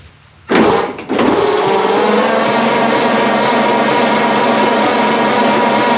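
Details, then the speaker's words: Ford Model A sitting over 20 years, spark plugs removed, after fitting new battery cables: starter engages with a clunk, then a brisk, even whir at steady speed with no dragging; normal cranking speed. "hey that thing's spinning over pretty good now so i think we're good to go on that"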